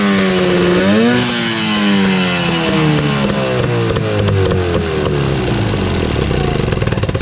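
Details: Evinrude 15 hp electric-start outboard, revived after sitting a year. It revs up and settles smoothly, pitch climbing and falling cleanly with no misses or knocks; runs normally.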